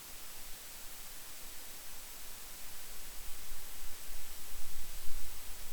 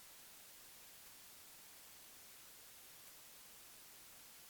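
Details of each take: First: Focusrite Scarlett 1st Gen interface mic preamp, which becomes noisier after running a while; steady hiss with heavy low-frequency rumble building beneath, problem still present, cause not yet found; preamp low-frequency noise rise. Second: Focusrite Scarlett 1st Gen mic preamp with a microphone connected; two spectral spikes appear then drop, leaving only a faint even hiss, no hum or crackle; normal preamp noise floor.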